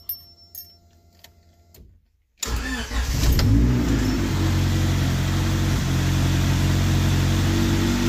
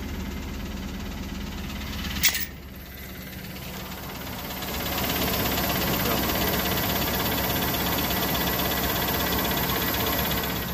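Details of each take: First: Crashed Honda Civic hatchback with a stock-manifold B20 high-compression engine swap and GSR transmission, unfinished, exhaust not fully bolted down: cranks, catches quickly and settles into a loud, even, raw-sounding idle; runs smoothly. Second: Used high-mileage 5.3 LS V8 truck, two-wheel drive, cold start after two weeks sitting, good oil pressure: fires right up, quick even ticking over the exhaust at idle; owner also suspects bottom-end knock; engine tap at cold idle, cause unconfirmed.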